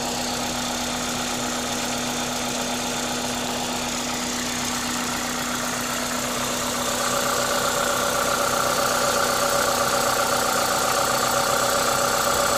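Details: Toyota 2ZZ-GE engine at a normal idle, steady and even with a smooth low hum; the airy intake hiss over it comes from an induction kit; no knocks or misses, healthy.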